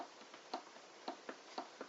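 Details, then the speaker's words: Logic DM-101 turntable during service; motor has about 1.5 mm of movement, sharp light uneven clicks as it moves up and down over near silence; loose motor mount needs tightening from underneath. "The motor has about a 1.5 mil of movement there, and you can hear it clicking as it goes up and down. So the motor mount will need tightening from underneath."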